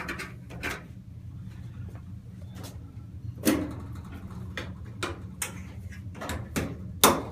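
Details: Kenmore (Whirlpool-made) dryer, model 110.77082600, about ten years old, after replacing drive belt and idler pulley to cure screeching: steady low motor hum with a few soft drum thumps, no squeal or grinding, running normally.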